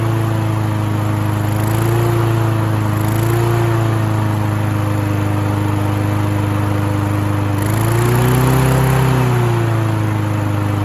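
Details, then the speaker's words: Free Husqvarna mower (throttle cable missing) running after cleaning caked debris, let run to clear carburetor: steady, fast, high-pitched idle with slight surges that never settles lower; idle needs adjusting. "Okay, we definitely need to adjust the idle."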